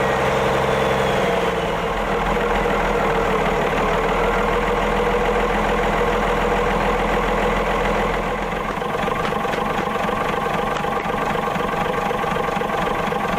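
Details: Autosan H9 bus diesel just started after a long standstill: steady idle with an even clatter at around three and a half beats per second, no misses; running normally.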